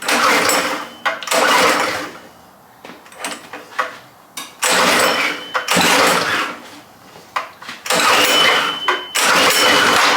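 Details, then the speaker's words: Predator 212 single on a vintage Pepsi go-kart, first start after carb and gas tank cleaning and oil change, cold on choke: small revs in bursts, sags, nearly stalls; runs only on choke. "It's only wanting to run on choke right now. Guess we'll let it warm up some more and try again."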